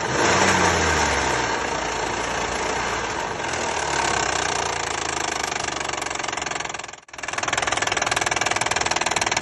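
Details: Hyundai/Kia 3.5 G6CU V6 at idle: sharp, regular knock about four times a second, steady and clear; engine knock, source not pinned down.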